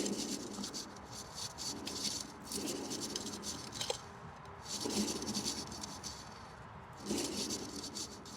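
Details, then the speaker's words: Toyota Yaris 1.3, rear right wheel, microphone on the brake hose, drum spun by hand outdoors in wind. Gritty, rough rumble from a worn wheel bearing, the same loud rumble heard in the cabin while driving. Bearing to be replaced. "go so that noise that you heard while I was spinning it that's the noise we hearing through the cabin when we're driving and it's quite loud"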